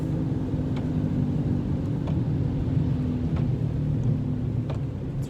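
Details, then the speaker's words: Car slowing down with a deep, steady growling rumble from a bad wheel bearing, louder as speed rises and still heard when slowing. "when a wheel bearing is bad that's what you hear"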